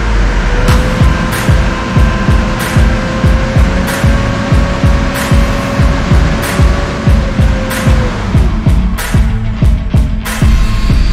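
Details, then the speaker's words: Mitsubishi L400 Delica on a lift, in gear after driveshaft reinstalled; driveline spins with even hum and light regular ticking, no shudder or wobble. Runs smooth. "Nice and smooth, so looks like we got it."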